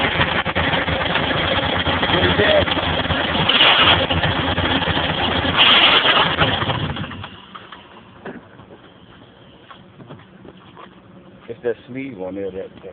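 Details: Nissan Maxima with used replacement engine and new clutch kit, no transmission oil found: harsh grinding rattle in neutral with the clutch released, quieter idle with the pedal floored; owner hopes lack of oil is the cause.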